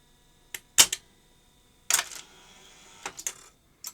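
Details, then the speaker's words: 1979 Philips N1702 VCR-LP video recorder, powered up with two levers overridden and play selected: sharp clicks and clacks, a soft motor whir and latching clicks as it laces the tape and engages play. Operating normally, though the stalled-head shutdown fault remains unfixed. "Okay. So that's operating normally."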